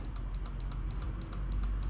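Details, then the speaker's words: 2002 Honda Magna VF750C being rebuilt after a no-start traced to a bad battery: fast crisp ticking about six clicks a second from the flasher relay with right turn signals stuck; owner suspects a connection fault in the signal wiring. "I can hear the relay working, it's doing right. But I think the connection's in here, something's going on with it."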